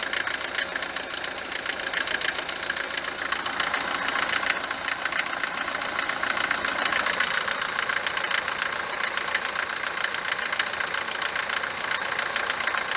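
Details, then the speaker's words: Mercedes 190 diesel, 4-cylinder, cold morning start, oil recently changed from 15W-40 to 10W-40, no oil consumption: harsh, fast, even knock about three raps a second over the idle, lessening once warm; cause suspected, not confirmed. "لما نجي نوضها نسمع التقربيع بزاف، تبدا تقربع كما شتي في الفيديو، ولما تسخن شويه يبدا دوك التقرقيب كينقص، يعني ما يبقاش بزاف كما شتي في الفيديو."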